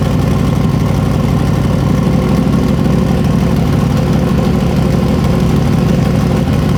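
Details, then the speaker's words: Freshly built 421 small-block Chevy, carbureted, for an S-10, first start not yet broken in: deep, steady, crisp V8 burble with even firing and no knocks; healthy idle. "It does sound good. It hasn't broke in yet. Dude, it sounds good. Yeah. It's way more crisp than the other motor was."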